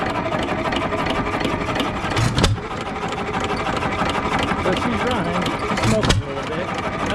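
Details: Economy 3 HP single-cylinder hit-and-miss engine, believed made around 1923, run after an oil-up revival: chugs along with a firing bang every few seconds between coasting beats, no evident rod knock, running fine.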